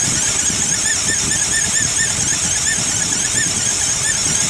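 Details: 2008 Ford Explorer XLT IronMan Edition at cold idle: loud continuous high-pitched accessory drive squeal; belt, tensioner and pulley already replaced, A/C compressor ruled out; owner suspects the fan clutch, source still unknown.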